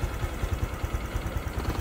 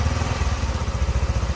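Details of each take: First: Honda Future 125 scooter at 34,000 km, hot idle: a light, regular tapping knock on each firing beat that occurs when hot but not when cold; piston slap, to be fixed by cylinder repair. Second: Honda Future 125 small single at 34,000 km, after cylinder head and clutch work, not fully warmed up; steady, even low thump at idle with no ticking or knocking on top; earlier knock gone; stable, healthy idle.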